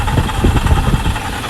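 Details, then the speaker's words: 2001 Chevy Silverado K1500 4x4, 4.8 L V8, idling with belts back on: uneven rattly chatter over the low engine rumble, traced to the AC compressor after a belts-off test. "so that sound that you hear is an ac compressor that's like kind of chattering noise"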